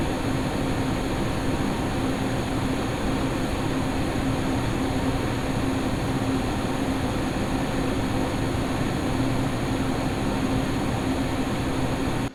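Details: Lian Li O11D Mini PC on an X570 Taichi, XPG Vento Gentle Typhoon fans capped at 1900 rpm, after the duct-tape fix for howling, mic unchanged: steady, even fan whoosh under load with a faint low hum, no howl; normal fan operation.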